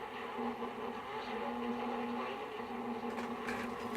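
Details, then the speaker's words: 1924 Crosley 52 regenerative receiver on a mocked-up B+ supply (45 V, 22 V) driving a Crosley Dynacone Type F field-coil speaker. Steady low droning buzz and hum. Noisy reception; owner suspects the fluorescent lights, not confirmed. "So it's a little noisy. I got the fluorescent lights going on down here, and that probably doesn't help."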